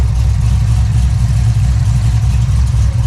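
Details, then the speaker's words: 2006 Corvette Z06 V8 after earlier bad knocking, freshly dyno-tuned, starting and idling with a deep even choppy burble; no more knocking, valvetrain sounds healthy. "Hear that chop. No more knocking."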